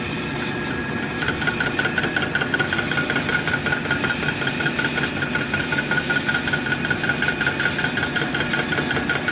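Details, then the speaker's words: South Bend lathe after a slipping leather headstock belt was replaced with a new, narrower, shorter serpentine belt. Steady motor hum with a regular chunk about twice a second, a rattle from the back gear. Owner plans to disassemble and investigate. "sounds like i might need a i'm gonna have to pull this back apart and investigate a little more"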